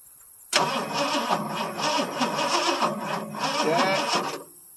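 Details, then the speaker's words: 1977 Ford F150 Supercab Ranger XLT with 460 V8, cold start after ignition box fix: laboured, uneven slow cranking for about four seconds without firing, battery low on charge and struggling to turn the big 460. "okay darn it battery ain't got much juice and it takes a lot to crack a 460"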